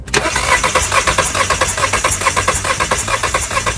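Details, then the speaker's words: Car that would not start right after refuelling: steady cranking with no firing, spark plugs wet and smelling strongly of gasoline, ignition spark fine; engine flooded, canister purge solenoid valve suspected broken and leaking. "this is because the car owner had this problem after refueling so now I suspect that the canister solenoid valve is broken"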